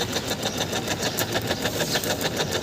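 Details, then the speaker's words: Suzuki Access 125 scooter, self-start pressed: rapid dry ticking about seven a second with no cranking; horn, indicators, lights and charging work, starter circuit clicks but engine won't turn over, cause not confirmed. "यह देखिए cell बराबर गाड़ी cell start नहीं हो रहा है"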